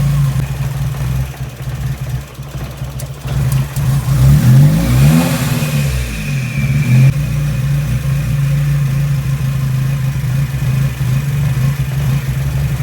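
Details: Nissan 240SX that bogs and stalls: low uneven loping idle that surges and sags, sputtering and nearly stumbling before dying; rough low idle, cause not yet found.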